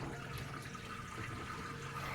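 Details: Samsung automatic washing machine, repaired after a no-power fault: soft, steady rush of water pouring into the drum with no buzzing or stuttering; the fill sounds normal.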